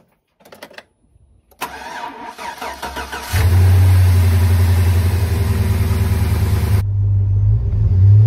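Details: Tahoe after an oil pressure problem was repaired with new parts fitted: the starter cranks briefly, then the engine catches and settles into a steady, even idle with no knocks or misses; normal start and idle.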